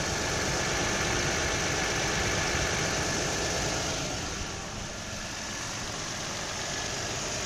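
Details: 2003 Nissan 300GT engine held around 2,000 rpm when warm: fairly even tapping about four times a second over hiss; knock or slap only when warm, source unclear.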